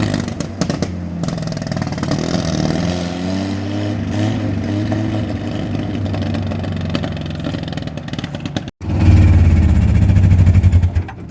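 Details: Willys CJ2A Jeep (about 1946–49) with a replacement engine sold as running great that smokes heavily and had a bent distributor shaft, started on full choke: uneven, lumpy running that sags and stumbles unless throttle is held. Weak running engine needing throttle.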